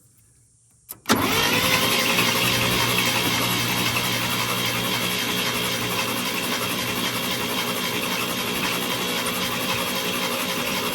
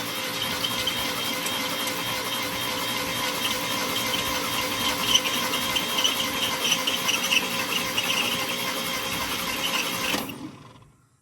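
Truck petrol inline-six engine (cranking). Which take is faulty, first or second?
second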